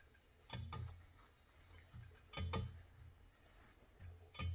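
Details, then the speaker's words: 502ci big block Chevy during pre-assembly, crank turned by hand with a 3/4 socket on a speed handle, pushed back: soft scraping clinks about every two seconds as a crankshaft counterweight rubs the block at the rear. "Okay, it was rubbing back here with the crank pushed back against the, hear it?"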